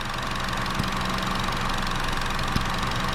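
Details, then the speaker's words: 2012 Chevy Cruze LT, hot, codes P0171 and P0496: steady idle with constant airy hiss as purge valve keeps sucking air even when unplugged; purge solenoid stuck open, purging when it shouldn't, skewing fuel trims. "so it's purging when it shouldn't be and it right here is disconnected so this valve should be closed"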